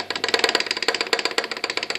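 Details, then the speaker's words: Chevy 350 from a 1971 Nova, torn down after a bad lower-end knock, pounding, not a tick: sharp metallic clacks, about ten a second, as the connecting rod is rocked by hand on a spun rod bearing. "I had this uh really bad lower end knock almost like a pounding almost um not not definitely not a tick"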